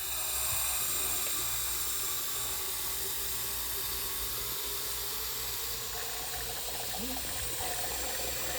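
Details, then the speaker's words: Rebuilt electric fuel pump from a 1976–1978 Cadillac Eldorado EFI, bench-tested pumping actual fuel: quiet high-pitched hum with faint regular ticking, much quieter than running dry, no rattle or strain. Normal fuel pump operation. "when we're actually passing Fuel through the electronic fuel pump the unit is much quieter than when it's just sucking through uh dry air"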